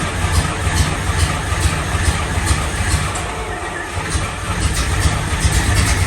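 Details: 1954 Fargo half-ton flathead six on first startup after piston ring install and valve adjust, with the carb float overflowing: rough, somewhat uneven running with a steady low throb and some clatter as it settles, smoky from oil burning off the manifold. Normal running.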